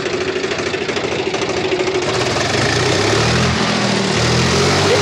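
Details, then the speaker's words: Swaraj FE tractor diesel idling after tappet setting with the tappet cover refitted: even, regular beat of about 200 a minute, and the earlier "tar-tar" top-end tapping is gone. The cause was a loose tappet, and firing has changed; normal idle. "मैंने तो उसकी आवाज़ थी जो पहले उसमें टर-टर की आवाज़ थी ना वो बिल्कुल गायब देख सकते हैं दोस्तों इसका पूरा फायरिंग चेंज हो गया"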